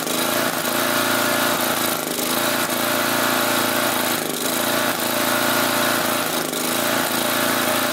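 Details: Swisher tow-behind mower with a 12 hp Briggs flathead and Nikki carburetor, running with the air cleaner off. Engine speed rises and sags in a steady cycle about every two seconds with no throttle change, a hunting surge. The cause is suspected but not confirmed.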